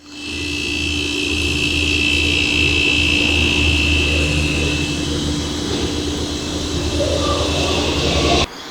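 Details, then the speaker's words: Refrigerator after a repair: three beeps, then the compressor starts immediately with a steady low hum and faint high whine, running smoothly; healthy, freezer cooling again. "i hear three beeps and the compressor compressor started right up"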